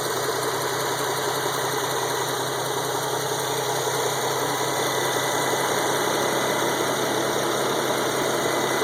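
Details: Petrol engine idling with a light, quick ticking from an exhaust leak where the gasket fitted with aftermarket high-flow catalytic converters had partially disintegrated.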